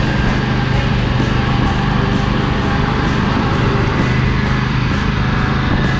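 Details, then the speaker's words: John Deere L120 with lengthening crank times that sat several months over winter. It has dry-rotted coil wiring, and brake clean was run through the carburetor. It now holds a steady, even drone with less black smoke when the drive is engaged. Running healthier. "well it sounds like it's running a little healthier it's not shooting as much black smoke when I kind of engaged the dry as it was before"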